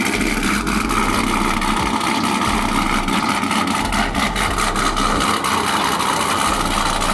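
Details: Procharged Pontiac G8 V8 after a piston replacement: runs steadily with a constant rumble and faint blower whine, no knocks or misses; owner says it sounds good and has more compression than before.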